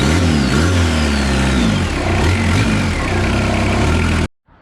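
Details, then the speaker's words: Suzuki Vitara TD diesel, after a new belt tensioner dampener was fitted: a rough, uneven chatter with a faint squeal that comes and goes. The noise is still not fixed. "so it turns out that didn't really fix the problem putting that new dampener in"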